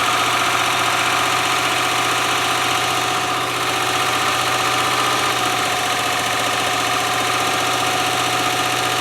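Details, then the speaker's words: 1997 Land Rover Discovery 1, first start after jumping the starter, with a stand-in battery, engine oil low: steady idle with a fast, light, even ticking from the valvetrain, described as somewhat bad tappets. "well taffets are a little bit bad but hey didn't take much going did it"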